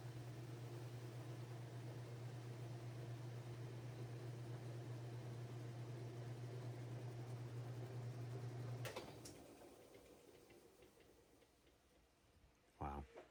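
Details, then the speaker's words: Whirlpool/Roper top-load washer after repair of no-spin with humming, brake shoe and clutch area: steady low hum through spin, then winds down to a smooth stop with no clunk or jerk; healthy. "That's how it should be. You can see how the machine it comes to a nice, smooth stop, not jerking, and that's how it should be."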